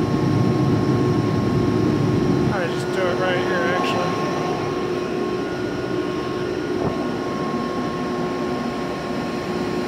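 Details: Used 2005 Boge 40 HP variable-speed-drive compressor, 480 V, 79,131 run hours, 1,909 loaded hours, at max rpm building pressure (holds around 105), about 68–70 dBA: steady even drone with constant tone; normal full-speed operation.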